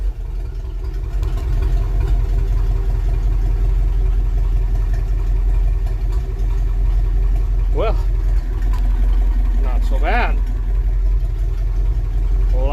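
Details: 1966 Dodge W200 Power Wagon 4x4 with a 318 Poly V8 (1964/1965) installed, started on the key with a new starter relay. Steady, even low rumble with no knocks or misses, settling smoothly right after starting; oil pressure good. Normal running.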